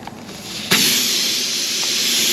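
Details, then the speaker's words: Nail puncture in a car tire, heard while working a tool in to grab the nail before plugging: a sudden, steady high hiss of air rushing out of the hole. "I'm gonna work this down in here. Try and grab that nail. You guys can already hear that air hissing out."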